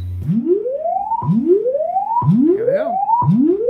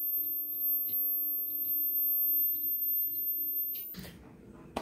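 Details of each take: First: Vizio SB 300 series sound bar after replacing a faulty whining inductor, function-generator low-to-high frequency sweep test: clean tone rising repeatedly about once a second, no buzz, rattle or dropouts; repair passes, no longer shuts off. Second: Vizio sound bar that restarts on its own, powered from an external DC supply: thin, steady high whistle with a faint hum that cuts off suddenly, from a faulty 33 µH (330) inductor measuring only about 4 µH; replaced to fix.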